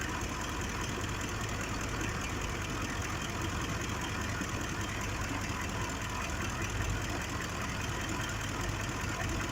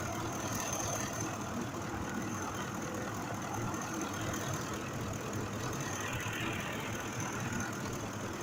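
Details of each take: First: 2005 Ford F-150 5.4L V8 idling with an uneven, stumbling beat: misfire on cylinder 2, suspected failing fuel injector; scan shows bank 1 injecting about 23% more fuel. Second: 2005 Ford F-150 5.4 V8 idling after the cylinder 2 injector, which had a mechanical fault, was replaced: a steady, even low rumble with no stumble or skipped beats. Normal idle.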